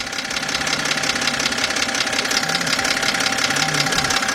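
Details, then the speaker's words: 2007 BMW 328xi at idle, listened to near the crankshaft area: even knock about three per second, strongest at the bottom end; internal lower-engine knock, exact source still unidentified. "This is definitely coming from the lower end. Now, let's get some under here. Now the problem here is we still don't know what is exactly making that noise, but we do know it's coming from the internal bottom half of the engine"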